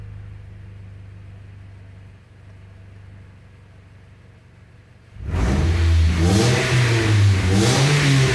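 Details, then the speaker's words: Mitsubishi Lancer 1.6 running on petrol, with LPG also fitted and misfiring only on petrol: a quiet idle, then a hard rev brings a loose metallic rattle from the last (rear) silencer, which has broken off. "to co słyszycie właśnie takie grzechotanie to jest oberwany ostatni"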